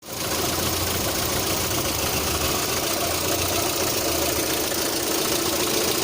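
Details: 1.6 8-valve engine at idle, knock sometimes also on adding throttle at start: fast light knock buried in hissy busy background; engine knock at idle, source unclear.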